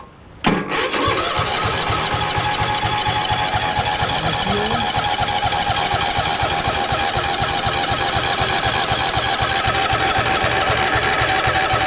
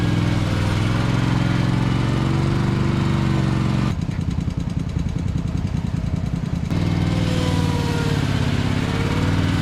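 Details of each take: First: 2021 Toro TimeCutter zero-turn, used, after a new filter, air filter and fresh fuel, on choke: the starter grinds at a steady four beats a second for over ten seconds without catching; the fuel line is only just filling. Cranking no-start. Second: 2021 Toro TimeCutter zero-turn, used, which earlier shut off after 1–2 minutes (possibly from being cold), restarted with the cover on: a steady low drone at even speed with no stumbling while it mows an acre. Normal running.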